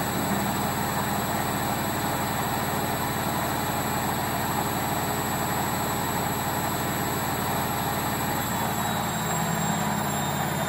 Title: Logik L712WM13 Cottons Intensive 40 Final Spin With Bad Bearings